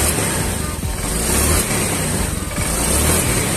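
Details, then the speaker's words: Honda Vario fuel-injected scooter after fuel pump replacement and ECU reset: engine picks up cleanly on each throttle blip, revs rise smoothly without stumbling; earlier hesitation and jerking on initial throttle was from weak fuel pump pressure. "dia langsung merespon ya sangat bagus responnya"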